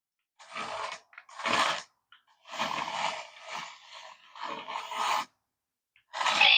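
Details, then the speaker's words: Small RC Dalek toy after repair (two dirty wires replaced), reassembled; short bursts of motor whir and gear chatter with electronic voice sounds: normal drive and voice operation. "Yeah, so he's working. And he's talking to us."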